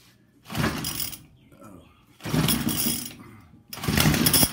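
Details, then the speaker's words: 2019 Hyper Tough H2520 25cc straight-shaft trimmer, little used, sat 3 years with fuel in the tank, primed ten times, on choke. It catches in short, ragged, uneven bursts of buzzing, then dies between them; sounds terrible. Rough running after long storage. "sounds terrible what's going on must just be the nature of the you know they just put a little I don't know if there's a gear in there and how they do it but it's cheap"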